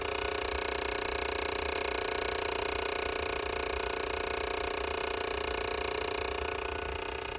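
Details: Ford reman OBS 7.3 diesel on a test stand, powered by one positive wire via push button and jumper leads: fast, steady chattering buzz of about four clicks a second with no engine running; relays chattering on a poor positive connection.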